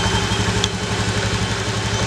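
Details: Honda Beat FI (fuel-injected) scooter, year unknown, that was hard to start with a heavy starter due to weak fuel spray; after the fix it idles with a quick, even putter, no skips or rattles, and now revs normally.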